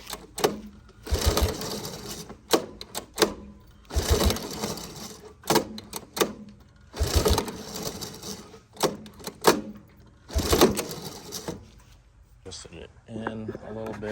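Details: 1983 Honda ATC 185S, lately starting only with starting fluid, during carburetor screw adjustment (set to 2.5 turns out): short rattling pull-start bursts about every three seconds, turns over but never fires; hard no-start, cause suspected carburetor.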